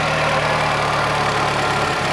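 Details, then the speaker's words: Idle just after pressure washing the engine without protecting the electronics: steady idle with a coarse, slightly uneven rumble, no clear misfire beat; engine shaking, rough idle, owner suspects it is low on gas, not confirmed. "it is shaking but I think it's running low on gas"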